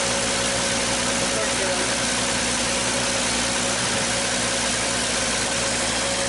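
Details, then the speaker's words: 1939 Chevrolet Master just restarted after 48 years of storage. Loud, busy, uneven idle with hiss and rattle; it is blowing out very blue smoke, but it runs. "We're running. Blew out a little bit of stuff. Very blue."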